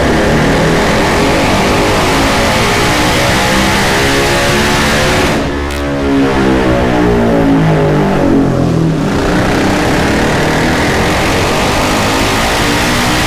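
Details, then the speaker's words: 2019 Yamaha Raptor 700 SE single with built top end, Dasa full exhaust and Vortex ECU under full load on the dyno: strong clean pulls, pitch rising and falling smoothly, no misses or rattles; quieter than previous exhaust, about 58 hp. "the Das is going to throw down it sounds really nice it's a little quieter than the rossier and uh I guess we'll see if we're around 60 horsepower"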